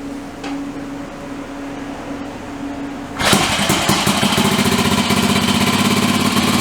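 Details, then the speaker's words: Small two-stroke bike engine being upgraded, started with petrol and choke on after refitting the orange tank: quiet hum, then catches into fast, slightly uneven idle; sounds a bit rich, owner expects carb tuning needed. "Alright, here we go. Sounds like it's running a bit rich."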